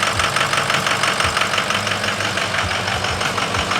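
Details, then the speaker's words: Ford 6.0 Power Stroke diesel just restarted after repair; uneven, lumpy knock about twice a second as air still bleeds from the high-pressure oil system, to be purged on a drive; rough idle from air in high-pressure oil. "it's got some air in the in the High Press oil system okay we'll be able to hear that Reverb Off the Wall"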